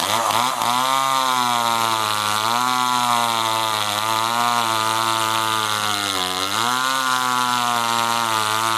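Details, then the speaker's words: Homelite LX30 (Super 2-type) small chainsaw cutting logs after a carburetor kit (K10-WAT) replacement; clean, steady high buzz sags and recovers smoothly under load with no misfire or stumble, so it runs well, though it needs time in the cut. "so it seems to run good now I'm pretty happy with it it is a small saw so you do have to take your time when you're cutting through logs like that"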